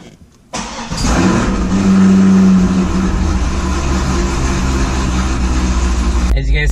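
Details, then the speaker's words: Corvette revived after diagnosing why it died, battery refitted: short crank, catches within half a second, settles into a deep, steady, even idle without stumble, misfire or check-engine lights, revs without hesitation; normal start and idle. "there's no check engine lights. The engine's revving just fine. There's no hesitation."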